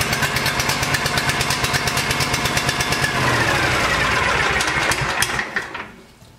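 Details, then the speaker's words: Kawasaki engine on a Cub Cadet mower chugs unevenly with lumpy, stumbling beats, then sags and dies; rough running caused by a stuck choke. "so if your mower say you start your mower and it's running real crappy so we'll show you what a stuck choke does"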